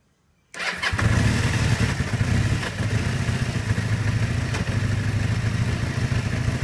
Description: kawasaki kz440B 1981, 7k miles, rough idle. Choke is set about half-way.